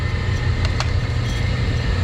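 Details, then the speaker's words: Laars Pennant two-stage commercial hydronic boiler with a no-heat complaint, circulator pump running after power-on: even, steady low hum with a faint high whine and no grinding or knocking; the pump sounds smooth. "can see it here spinning too awesome and it sounds smooth"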